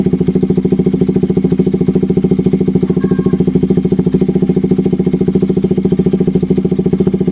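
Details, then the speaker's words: KTM RC 200 single-cylinder after replacing a faulty spark plug cap that caused stalling, no-start and rough idle. Crisp, regular putter at a steady idle with no stumbles or missed beats; idling cleanly. "Sige so Ayan umandar yung motor Ito lang yung pinalitan natin So most of the time ito yung problema ng hindi pag-start"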